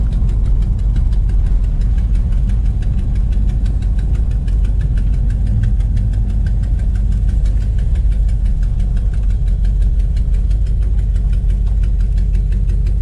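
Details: 1969 Dodge Dart V8: lumpy idle with a sharp, rapid ticking puff on every firing pulse, typical of a blown exhaust header gasket.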